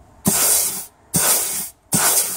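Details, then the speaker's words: 2007 Ford Territory, ZF 6HP26 six-speed automatic in limp mode (P0973 Shift A), valve body out with new bridge seal and sleeves: air pressure test on the A clutch, three short steady hiss blasts cutting off cleanly; clutch sealing and applying well. "you can hear that's applying well"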